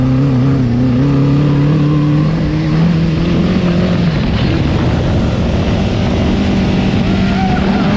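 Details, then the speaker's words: Off-road buggy with a Honda CBR1000 engine on a test drive: the engine note climbs and drops through the gears but sounds uneven and flat. A misfire and loss of power are suspected, cause unconfirmed. "It sounds like it's definitely not running right. It sounds like it has a miss, like it's It's definitely not running full power"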